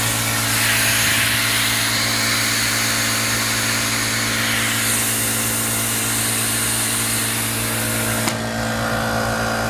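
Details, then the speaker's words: Ridgid R350PNA palm nailer at 100 psi after about 10 minutes and 50 nails: connected and idle, a steady hiss of air escaping out the back with a faint hum; owner suspects a blown gasket. "Well, here we are about 10 minutes and 50 nails later, and I think that she's blown a gasket. I'll just connect it to the air here and see if you can hear the air humming out the back here through there."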